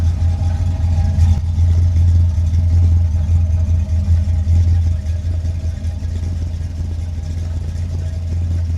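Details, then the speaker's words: 1979 Corvette with new crate V8, warmed up, microphone on camera: deep, even rumble with steady beat, no knocks or misses; normal running. "like I'd say she sounds freaking good"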